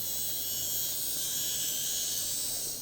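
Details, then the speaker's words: Graham Farish Class 44 N-gauge locomotive, split chassis, on DC on curved set track: even high-pitched motor buzz, no clicks, stalls or grinding; normal running. "has no issues doing it just trying to move the light over yeah she is running an absolute treat so i'd say she's good"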